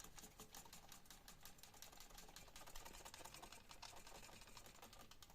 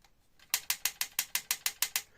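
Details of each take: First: Trek Domane AL3 bike frame, with light, fast ticking and only a faint remaining rattle after about eight sliced Nerf bullets were fitted on the internal cable; much quieter than before. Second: Brand-new Trek Domane AL3 ridden on rough terrain: sharp, bright clicks, about six or seven a second, from a cable rattling inside the frame; fixed with slit Nerf-bullet foam pushed onto the cable.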